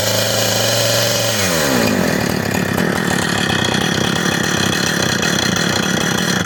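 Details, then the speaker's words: Husqvarna 455 Rancher chainsaw, previously run over and rebuilt with new plug, air filter, fuel line, fuel filter and primer bulb; drops from high buzz to a burbling, uneven, loaded-up idle with excessive smoke; rich low-speed mixture, carburetor to be tuned when hot. "i'll tune up the carburetor it looks like she's excessive smoking so we'll have to uh gear nice and hot and we'll tune up the carver get that low idl"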